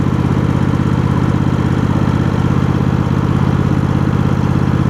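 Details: Cub Cadet GT1554 garden tractor with Kohler V-twin, new ignition coils fixing a coil issue, restarted hot after 30 minutes mowing: even, steady putter at idle with no misses, surging or rattles; normal idle.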